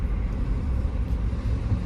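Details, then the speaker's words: 2016 Chevy Tahoe rollover salvage, test drive; steady even low V8 rumble with no knocks or ticks, good oil pressure. Normal engine running. "Looks like it's got good oil pressure. I mean, it sounds good."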